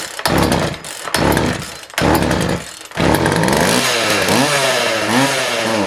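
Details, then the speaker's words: Craftsman 42cc chainsaw in a very cold shop: fires in short coughing bursts then runs rough, surging and sagging, won't hold steady revs; fuel starved, owner suspects carb diaphragms not pulling fuel. "she's not going to pull fuel through the diaphragms and run or run very well at all I would say what we're getting right now is just what siphon you'll get through the tank from the ventur"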